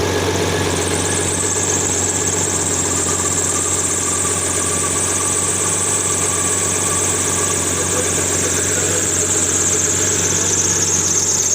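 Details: BMW 7 Series E66 with N73 V12 engine at idle: uneven, loping beat stumbling about three times a second, a misfire at idle.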